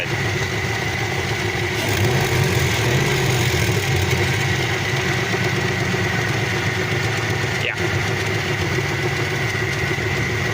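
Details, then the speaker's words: Trans Am V8 idling with an uneven deep knock under the valvetrain clatter, about three per second; owner suspects a rod or crank bearings rather than lifters, a bottom-end noise, not very loud. "That sounds like a rod or something. Like maybe not even lifters, maybe there's like crank bearings going or something, because it sounds like something's a little wobbly at the bottom."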